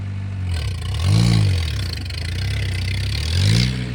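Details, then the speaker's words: An old-model Mahindra diesel pickup, revived after what seems over two years unstarted, idles with a steady clatter, then takes two clean rev blips that rise and fall smoothly. The engine runs healthy. "അന്നേരം സ്റ്റാർട്ടാക്കി നമ്മൾ just ഓടിച്ചു നോക്കി. വണ്ടി ഇടിവെട്ട സാധനം കേട്ടോ, ഒരു വിഷയമില്ല."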